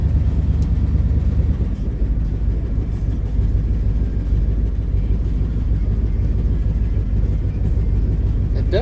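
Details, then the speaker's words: Old Ford rat rod, cold engine on a roughly 30°F day, at idle: deep, slightly uneven lope as if dragging a cylinder; suspected misfire, spark plugs to be checked. "kind of sounds like it's dragging a cylinder. We're going to check them spark plugs out and see what's up."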